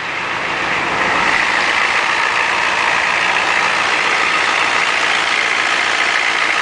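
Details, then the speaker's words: 1987 Ford F-250 6.9L IDI diesel, just started after sitting 5 months, about 40°F, straight-piped as exhaust is shot: loud raspy steady idle, fairly even chug, no knocks or misfires; normal diesel idle. "listen to her purr this thing actually is straight pipe cuz the exhaust is shot on it"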